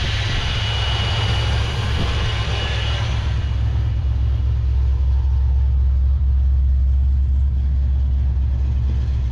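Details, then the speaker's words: Abandoned 1968 Plymouth Satellite V8 pulled from a scrap pile, first run after sitting: deep steady idle with even beat, no knocks or misses, sounds pretty good before it likely runs out of gas; owner suspects it runs rich. "Dang, and it sounds pretty good."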